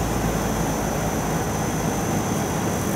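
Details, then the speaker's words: Hitachi Yutaki S 14 kW heat pump outdoor unit (RAS-5WHVNP): the compressor slows almost to zero, apparently because domestic hot water heating has finished. Even fan rush with a faint high whine and no rattles. Normal ramp-down. "sprężarka zwalnia praktycznie do zera bo my chyba zakończył się proces podgrzewania ciepłej wody użytkowej w środku łóżku"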